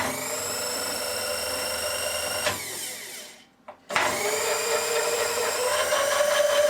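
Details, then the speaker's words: Asong A235 power drive after reset switch replacement and carbon removal from armature, refitted on its bolts with backlash set: motor whirs smoothly with a steady high tone, winds down and restarts with no gear grating. "so now I can tighten this up a bit more try again its still still quiet now I bolted it back on try it out"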